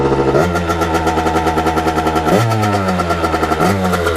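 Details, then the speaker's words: 1989 Kawasaki KX80 big bore two-stroke, main jet kept at 122, after a pilot jet change: crisp crackle revving up cleanly in three blips without bogging; runs great now and smokes less. "you guys can hear it really run great now so that pilot jet did make a little bit of a difference it doesn't smoke as much now"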